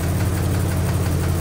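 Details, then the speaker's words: Engine at idle right after an oil change with Castrol GTX High Mileage 10W-40 (seven quarts plus one quart of Lucas), with Marvel Mystery Oil run before: steady, much smoother idle with a faint light ticking still present. Cause unconfirmed. "this sounds pretty darn smooth I me I still hear a little tapy tap but holy cow just the oil change we did run"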